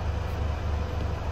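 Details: 2018 Mercedes Actros HGV diesel idling after the NOx sensor exhaust emissions fault was cleared, diagnostics still plugged in: a deep, steady low rumble with an even beat and no knocks or misses. Smooth, healthy idle with no engine light.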